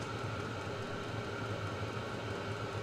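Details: Vevor 5 kW diesel parking heater burning kerosene on a 12 V car battery, at full heat. Burn chamber near 50°C and climbing, heat exchanger 60°C rising toward 99°C. Steady even roar, low hum, no pulsing or sputter. Normal clean burn.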